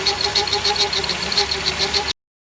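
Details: Toyota Ipsum SXM10 arriving with loud noise: high whine with pulsing chirping rhythm over idle coming from the power steering pump; power steering pump noise.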